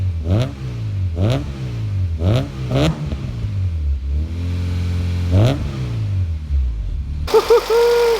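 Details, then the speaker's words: Rebuilt B18C5 Type-R four-cylinder swapped into a 2000 Integra GS-R, first start, revved after a warm-up: four clean, quick blips, then a steady idle, with no misfire, knock or rattle. Sounds healthy. "you guys hear that action that's that four-banger action you guys I think sounds beautiful"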